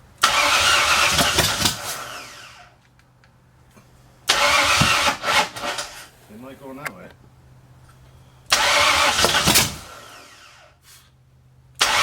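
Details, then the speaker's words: 1964 Ford F100 with a salvaged 90s LTD roller-cam 302, off the road since the 1990s, first start attempts with the carb bowls filled by hand; three cranking bursts each catch into seconds of rough running; loud but no rod noise heard; timing still a little out. "it's a good sign though real [Music] good doesn't sound bad it's loud but I don't hear I don't hear any you know Rod noise or any of that stuff"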